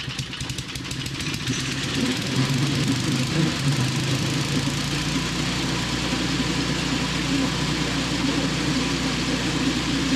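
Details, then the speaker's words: Snow blower's small single-cylinder engine, just fitted with new fuel line replacing the old one: rough first second then a steady, fairly even run; healthy but idle and low/high speed mixtures not yet adjusted. "I guess we'll start it up and make some fine tuning adjustments and all that stuff. Get this baby running."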